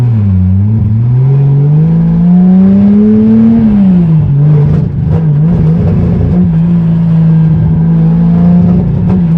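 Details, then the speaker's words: Budget 2JZ-swapped BMW E36 on its first test drive: pulls smoothly, then stumbles and stutters with uneven pops under load, struggling to gain revs. Breaking up badly under acceleration; owner believes the MAF sensor is bad. "so as you guys could tell the car was still breaking up really bad when we took it for the test drive so i'm still pretty sure the math is bad"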